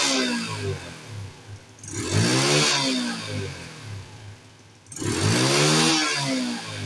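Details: Small carbureted four-stroke scooter (Wave/Spark/Mio) after blocking the secondary air injection pipe to cure exhaust backfire: two clean throttle blips from idle and back down, with no pops or bangs on the overrun.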